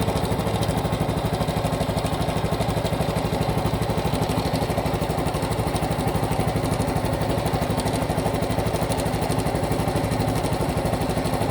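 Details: Honda Cub Pro small single at idle, abnormal engine noise after an oil change meant to fix it: a steady, even fast ticking at about three per second over the putter. Source not identified.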